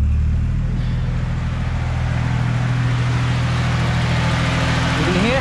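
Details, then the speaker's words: Nissan S14 Silvia with RB25DET swap and new cooling mods, idling while still warming up: electric thermo radiator fan switched on, giving a strong, steady low rush of air drawing cool air through, with no rubbing or rattle. Normal fan. "powerful the thermo is and if you put your hands here you can actually feel the air getting sucked in from here and the air is actually cold here so that's actually pretty good"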